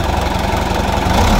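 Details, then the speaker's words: Isuzu 4JJ2 diesel truck engine after a valve tune-up. Even, steady idle with a low rumble, no tapping or stumbling; the earlier rattle and misfire are gone, now quiet and smooth. "Tahimik na siya. Hindi na siya masyadong maingay. Wala kayong kalansing na maririnig yan."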